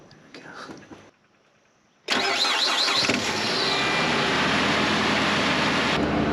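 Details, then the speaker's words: Engine catches after a short crank and holds a fast, steady idle around 2300 rpm against a 1200 rpm target. It idles too high, persisting despite an earlier relearn; cause not found. "this is idling super high yeah boy crazy was it always idling this high or no"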